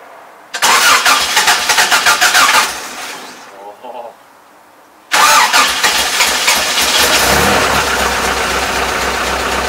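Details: Cold first start of an old carbureted truck after a couple of puffs into the carburetor: the starter cranks about two seconds, pauses, then the engine catches and settles into a steady, even idle; a normal cold start.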